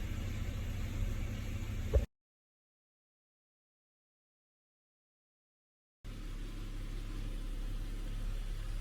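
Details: Holden Commodore VZ at idle: a steady low rush of the cooling fans at full speed, never cycling off. One relay is discoloured, and the owner suspects a failed coolant temperature sensor kept the fans running (unconfirmed).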